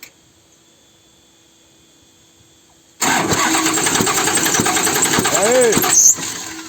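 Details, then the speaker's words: Forestry machine engine pushing air back out through the air filter when starting, valve cover off: rough uneven clatter with puffing rhythm back through the intake on cranking; loose rocker arm found. "e aí tiramos a tampa de válvula descobrimos o seguinte aqui que eu acredito descobrimos que esse balancinho aqui ó tá folgado e ela tava dando esse barulho aí"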